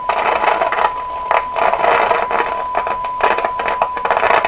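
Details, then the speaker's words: 1929 Victor RE-45 radio during grounding and neutralization experiments: irregular crackle and pop bursts over a steady tone keep going as tubes are pulled one by one to trace the crackle; cause unknown. "Notice the crackling is continuing. We're doing a little crackle tracing at the same time here."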